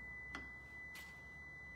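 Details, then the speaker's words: 2013 Lexus RX350 with 156,000 miles: pressing the power liftgate button gives one long steady beep and the gate won't move; the trunk locks and unlocks, the struts are new and the pinch sensors look fine. Power liftgate fault warning beep. "uh the issues are we try to unlock it and we unlock the trunk and you hear that long beep"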